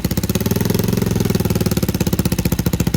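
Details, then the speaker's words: Lifan KP Mini 150 with a CG250 167FMM engine swap: single-cylinder thump at about twelve beats a second, quickening as the idle creeps up when the tight throttle cable is disturbed; fix is leaving the cable looped. "I was having an issue with the throttle cable so it's looking like I'm just going to have to leave it Loop because if I try to do anything under here like you hear how the idle's coming"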